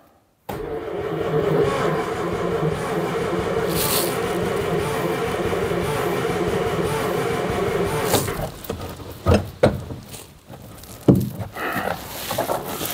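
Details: 1950s Daimler Consort barn find: the choke lever is stuck and was worked by hand, with fuel delivery to the carb unverified. Steady starter churning for about eight seconds never catches; it cranks but won't fire because there's no spark.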